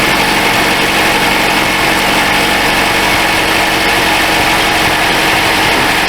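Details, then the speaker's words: 2012 Chrysler 200 at cold start; the complaint is exhaust noise and odor on morning start, with a leaking exhaust manifold gasket or cracked manifold suspected. Idle is steady, even and quiet, with the air pump whirring from the air box and no exhaust puffing or ticking. Normal cold idle. "Well, she sounds pretty quiet."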